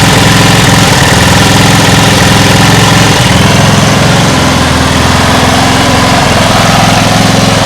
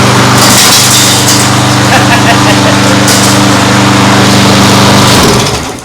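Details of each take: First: Homemade air-cooled outboard from a lawn mower engine, at low throttle: loud, uneven, lumpy putter about three to four beats a second; runs rough at low throttle, owner thinks idle may need adjusting higher. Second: Old lawn mower engine for homemade outboard, after adding fuel: steady even drone for five seconds then cuts off cleanly; runs fine though the mower deck is falling apart.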